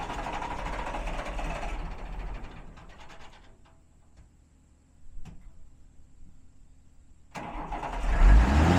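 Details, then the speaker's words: Red two-door Mercedes diesel on start: fires, dies back, then suddenly roars and keeps climbing with no let-off as the gas pedal sticks, stuck throttle pedal. "Second problem was well the first problem was when you heard when I started it the gas pedal sticks and when it stuck the engine roared and I started up real fast."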